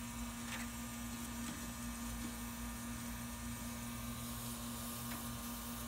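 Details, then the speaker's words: AC condensing unit switched off and charged with nitrogen on the high side: a soft, steady hiss of escaping gas with a faint hum and visible bubbling at the oily condenser coil; refrigerant leak, coil needs replacing. "I can see slight bubbling here, and when I put my finger, I could hear the leak."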